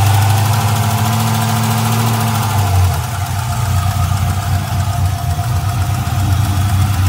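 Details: LS1 V8 with a valve train of about 1000 miles (LS7 lifters, hardened pushrods, dual springs, trunnion upgrade; rockers still tight): fast light tick, about four a second, over the idle rumble. Runs and drives normally; lifter tick or spun bearing suspected, unconfirmed.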